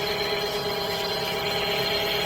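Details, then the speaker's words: 2010 Chevrolet Aveo after replacing noisy auxiliary belt tensioner (worn bearing caused whining grinding); heard from under wheel arch at idle, steady even belt hum, no whine or grinding; normal idle. "There we go. Just going to show you from under the wheel latch. All working fine without an issue."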